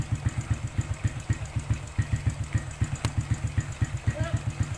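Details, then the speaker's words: Suzuki Smash New single-cylinder after reattaching a clutch stud that had come loose and caused rough clutch noise: steady even thumping about four beats a second, no clutch rattle or scrape; normal idle. "Oke, kita tes. Kita tes terakhir bagaimana apakah kondisinya nanti akan normal ataukah ada faktor-faktor atau penyebab lain yang harus kita cek lagi."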